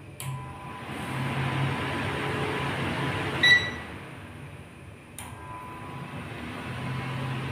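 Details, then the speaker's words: Dirty air curtain fan motor, likely not cleaned in about three years, test-run before disassembly: starts with a click, then a loud rushing whoosh and low droning hum. Noisy from dirt and dry bearings; the planned fix is oiling both motor bearings and a general cleaning. "Medyo marumi na siya. Tagal na ata hindi na ibababa to eh. Siguro may mga tatlong taon na."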